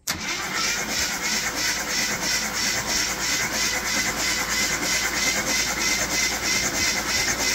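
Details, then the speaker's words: 1972–74 AMC Gremlin, long-sitting, cranked via jump pack at the starter solenoid: even, rhythmic cranking at about three compression pulses a second, no drag or grind; starter turns it over well. "out that actually cranks and sounds like an engine the darn thing sounds really good"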